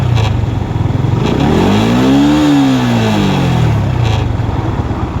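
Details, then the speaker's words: Yamaha R15 (old model) after a rich-running stumble from an aftermarket injector, back on the stock injector with the stock exhaust, idle about 1,700–1,800 rpm: clean blip revs up quickly and settles smoothly, running normal. "เนี้ยคือรอบขึ้นไวมากปกติถ้าเปิดอย่างเงี้ยคือรถจะติดหนาตึ๊ดๆๆๆเลยอันเนี้คือปกตินี่คือปกติก็คือหายเป็นปกติ"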